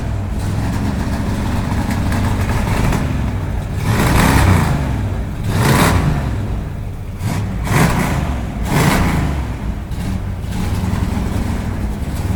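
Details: Neglected, rusty classic Dodge Charger, fired up, runs and drives under its own power: uneven idle with rough revs rising and falling raggedly; rough running engine, cause unclear.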